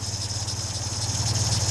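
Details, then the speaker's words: 1955 MG Magnette ZA, owner-kept with modifications and alternator fitted, just started with one press of the button: even, steady tick-over with a regular low pulse, no knocks or misses, sounding nice and sweet; normal idle. "and away she runs. Sounding nice and sweet."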